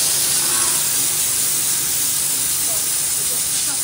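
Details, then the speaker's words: 7-year-old car washer pressure machine after repair by a mechanic, test spray: strong steady high-pitched hiss of the water jet, no sputtering or pressure drop-outs; pump holds high pressure like new, normal. "মেচিনৰ শব্দ ওলাই গৈছে মানে pressure বহুত ধুনীয়া আৰু বহুত বেছি প্ৰেছাৰ হয় মেচিনটো মানে শব্দ এটা ওলাই গৈছে প্ৰেছাৰৰ কাৰণে"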